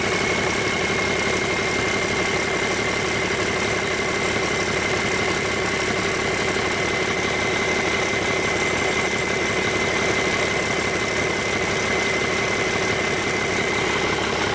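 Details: Rebuilt Cummins 8.3L diesel with inline pump, for a Hyster 15K forklift, at its first start after rebuild and fuel-system bleeding. A steady, even idle with a smooth regular beat and no knocks or misses; it runs healthy.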